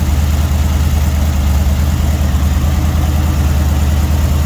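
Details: Rebuilt budget Dodge 318 V8 warmed up, oil pressure 60 psi, temperature about 175–180°F: deep, steady idle with even low rumble and no knocks, ticks or misses; running healthy.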